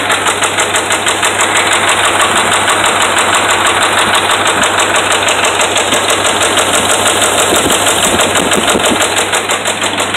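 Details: Dodge Ram 5.7 Hemi held just off idle: a steady, hard, deep knock about three times a second over the running note, from bad connecting rod and crankshaft main bearings.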